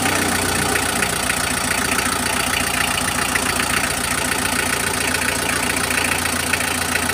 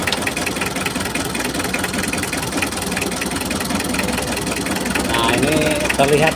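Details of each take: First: Mitsubishi L300 diesel after its injector nozzles were cleaned and refitted: an even, stable idle clatter with no misfire stumble or heavy shaking, much smoother than the rough, pincang running before. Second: Mitsubishi L300 diesel (unstable sound, weak power, high fuel use) at idle with injector lines loosened one by one: a loose, uneven clatter; cylinder 3 nozzle appears clogged and no. 4 gives no output.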